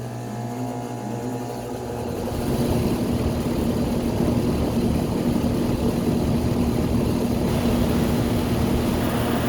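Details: Home A/C condenser unit after a contactor relay replacement for a compressor that would not start: it kicks on after a couple of seconds with a steady hum and even fan rush, the compressor running normally.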